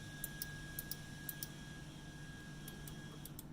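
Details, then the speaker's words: Emblaser 2 laser cutter during service; crisp clicks in press-release pairs from the limit switches over a faint fan hum, showing the switches work normally. "these little things here just make sure you can hear a little clicking when you press them you know they're working"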